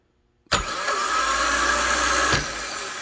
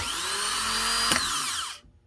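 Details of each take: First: Honda Fit starter (31200-RB1-013) bench-tested with the solenoid jumped: a dry, high-pitched screech as it engages, tied to the cold-start screech after the engine catches. Possibly a worn bendix bushing letting the shaft wallow and vibrate; the fix is a new bushing. Starter bendix bushing wear. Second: Honda Fit starter (31200-RB1-013) bench-tested with 12 V after bendix bushing replacement for cold-start screech: clean high whine, single clack as solenoid throws bendix, smooth spin-down; normal starter operation.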